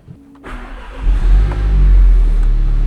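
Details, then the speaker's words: Fire-damaged Mk7 VW Golf R, EA888 engine, 297 hp, first startup after repairs and low on coolant: cranks, catches within a second and settles to a steady, even run with a small rev, no knocks or misses; sounds like a healthy stock engine. "but first little rev sounds like stock engine. Today we got this car ready and running."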